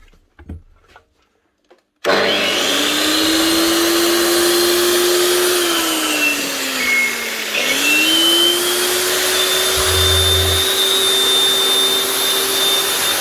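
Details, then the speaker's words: Hikoki G23SC4 Laser Chaser wall chaser after top bearing replacement for blade play: steady, even motor whine that sags briefly under load and recovers, no rattle or grinding; runs smoothly. "Much better. Now, I should hopefully keep them happy. Keep them cutting straight."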